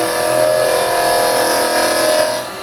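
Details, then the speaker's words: Lathe turning a small resin bowl with the carbide chisel rolled over: steady high spin with a light even hiss and no chatter or catches, a much softer, gentler cut than off the tip; smooth cutting. "such a softer cut, a lot softer. You're not going to cause any damage that way."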